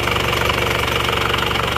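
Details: Isuzu Panther diesel after repair, warm: fast, even idle clatter with a steady beat, no misses or knocks; oil filler check shows no smoke, engine normal.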